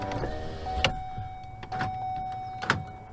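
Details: Power window after window regulator replacement: motor runs a short steady hum each way and stops cleanly with a firm thunk, no grinding or binding; working normally.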